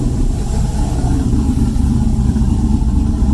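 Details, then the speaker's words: Electronic exhaust cutout after replacing butterfly bent by two-step launch, valve closed: deep, even engine rumble with no puffing, ticking or rasp; leak gone, exhaust sealed; normal exhaust note. "close it oh yeah sounds good"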